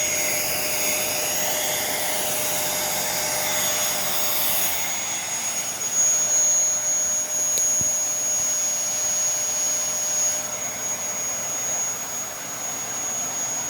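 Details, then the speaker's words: Dyson 65 vacuum: a high airy rush whose tone stiffens depending on which way the wand is turned; something is stuck in the wand, a partial blockage. "oh the wand is something stuck in the wall but it's especially stuck in one hand over the other as you can hear it sounds stiffer depending on which which way that i put the line"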